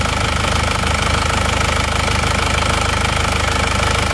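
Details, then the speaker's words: Warm diesel (a Penta from Tulungagung, road-tested about 60 km, no oil leaks) idles with an even beat, about three pulses a second, no uneven knocks or huffing; thin smoke when hot is normal, healthy idle. "kalau mesin panas itu akan tetap mengeluarkan asap seperti ini ini ada tipis-tipis asap seperti ini"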